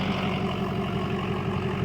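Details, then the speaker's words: Diesel pickup idling after oil change and fuel filter replacement: steady even low rumble, much less clattery than before, normal idle; whether it runs better is unclear due to low fuel. "Um this idle sounds 100% different. [Applause] [Music] And it's not as clackety up here. It just sounds like an idling"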